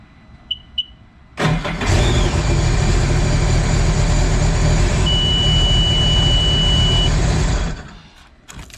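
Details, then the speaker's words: 2010 Seadoo RXT with shop-replaced engine, previously crank-no-start with sensor and throttle body codes; after unplugging the MAP sensor it cranks briefly, catches and runs at a steady, even rumble for about six seconds: healthy start. "we are starting right up. So guys, I mean, when you guys get, you know, a crank no start, obviously you want to check the obvious. You want to make sure that it sounds healthy."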